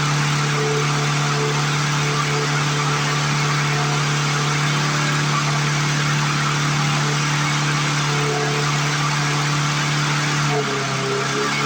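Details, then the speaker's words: 1997 Lawn Chief 3.75 hp 20-inch push mower engine after fixing mouse nest, return spring, throttle and shut-off bail cables: steady high-pitched buzz, no surging now, but sounds like it's running more RPM than it should; cause unconfirmed. "To my ear, that just sounds like it's running more RPM than it should. But it's not surging anymore, so that's a blessing."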